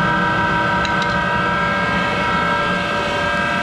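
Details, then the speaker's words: Monarch 10EE lathe's 3-phase motor-generator DC spindle drive just after start-up: loud constant droning hum with rough rumbling undertone from worn motor-generator bearings that need replacing. "start the machine up and it's louder in hell because it's got those bearings that need to be replaced in that motor generator so bear with the noise"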